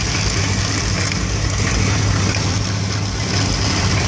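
Steady V8 idle whose low rumble wavers and stumbles irregularly, never settling into an even beat; warm rough idle of unknown cause.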